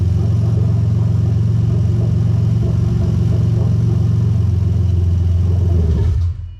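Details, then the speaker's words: Lexus IS300 2JZ-GE VVT-i swapped into an IS200 with a J160 manual gearbox and a remapped ECU. During an active test of the bank 1 VVT oil control valve, the cam is forced heavily retarded. The engine idles lumpy and uneven for six seconds, then stumbles and stalls. "right can't just that work the first time right so because it's retarding the camp so massively it does cut out"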